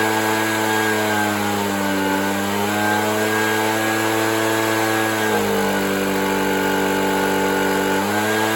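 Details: Used two-stroke leaf blower that wouldn't run right: steady buzz whose pitch dips twice as the carburetor mixture screw is opened further; engine speed changes during adjustment, possibly lean, not confirmed.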